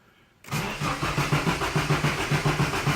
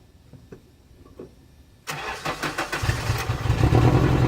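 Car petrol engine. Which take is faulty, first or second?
first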